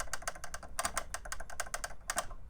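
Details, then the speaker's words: Denon MC7000 stock crossfader before installing a Mini Innofader Plus: sharp, uneven clicks in quick bursts at both ends as the fader is swept. The ends need bending back with needle pliers. The crossfader is clicking. "I'll show you one of the things that a lot of people are having issues with is you hear that clicking"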